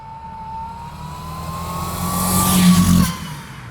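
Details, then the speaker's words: Supercharged Porsche 924 project car, first test drive on a private road before a dyno run; revs climb in a rising drone without the car pulling harder, then drop; badly slipping clutch, to be replaced. "that sound you can hear is a badly slipping clutch which means that our Dino Run would effectively be pointless"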